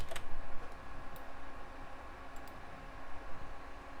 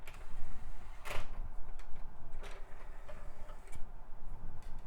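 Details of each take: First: Early-2000s Sony Vaio desktop with 13 years of service, drive copying files: faint, irregular light seeks over a soft hum, very quiet and working normally. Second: Early-2000s Sony Vaio CD drive reading a CD-R: irregular sharp clicks and ticks in scattered bursts as the disc loads and seeks, yet the drive works and seems high-speed; clicking and seeking noise.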